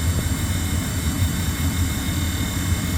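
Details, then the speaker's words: Furnace just reinstalled after repair, blowing hot air; steady low blower rumble with thin whine over it; owner suspects the squirrel cage is hitting something, cause unconfirmed. "unfortunately I hear a little bit of a wine the maybe the squirrel cage is hitting something a little bit of a r"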